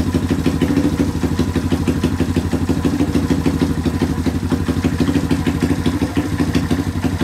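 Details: Rare two-stroke motorcycle revived in a workshop, with a long-thread two-stroke plug, good compression and a cleaned carburetor: steady idle at about three beats a second, holding on its own without throttle. Healthy.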